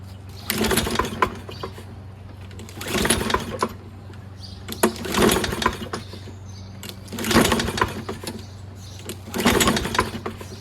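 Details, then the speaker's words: Toro Recycler self-propelled mower with Kohler XT675 engine, after cleaning a rusty flywheel: five recoil pulls about every two seconds, spinning briefly but never catching. No start, traced to a fouled spark plug with oil buildup. "Man, not even a little. That's really strange."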